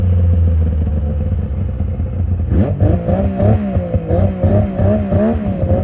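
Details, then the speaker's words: 2000 Yamaha VMax 700 Deluxe two-stroke snowmobile: uneven clattering slap rising and falling with revs over the engine buzz, from a drive belt with a chunk missing at the clutches; worn track also noted. "all right so belt's definitely riding down a little bit oh I see a chunk taken out of the belt right there that would definitely cause it the noise I'm hearing"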